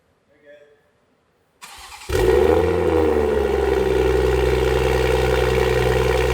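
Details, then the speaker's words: Toyota Supra (A90) first startup with new GTHAUS GTC exhaust, actuator valve not yet set up: short crank, catches at once, settles into a loud, deep, steady idle with an even pulse; normal cold start. "Guys, it's so different. Oh my gosh. That sounds crazy. He almost blew out his eardrums. Guys, the exhaust is crazy."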